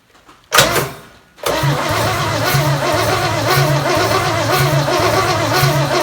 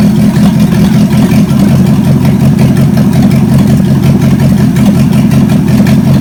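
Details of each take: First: Chevy 283 V8 Marketplace find, first start on the shop floor with jury-rigged battery cable, before timing set: catches after short crank, lumpy uneven idle with recurring stumble; owner suspects a dead cylinder, unconfirmed. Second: Chevy 283 V8 from Facebook Marketplace, second run on the shop floor: steady deep burble at even rhythm, no misses, knocks or ticks; compression later about 100–120 psi; normal idle.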